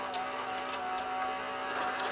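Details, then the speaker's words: Mitsubishi HS-U760 S-VHS VCR that came in dead with a blown DC fuse: a small motor whirs with a thin, strained tone as the mechanism fails to move, because the worn drive belt can't supply torque. This drags the motor down and blows the fuse; the belts need replacing. "the uh the belt is worn out and it's not able to uh it's not able to supply any torque and it's just drags it down and and causes the uh causes the fuse to blow"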